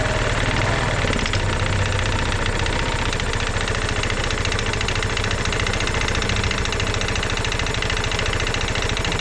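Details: Genuine Blur220i scooter idling with a hollow rhythmic knock over the low rumble: piston slap; compression 90 PSI cold, 110 warm, 115 with oil in cylinder, needing a new piston and rings.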